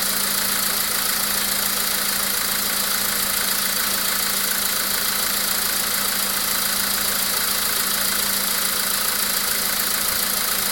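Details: VW Polo Sedan with CFNA engine at idle: sharp, regular tapping about two per second over a steady idle hum; an engine knock from an undetermined source.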